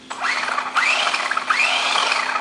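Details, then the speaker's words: Losi SCT RC truck after motor install: high electric whir rising and falling with throttle, gears meshing cleanly with no grinding or clicking; healthy motor running forward. "Hey, we got power. Well, that's a good sign. We got steering. We got forward. We got forward."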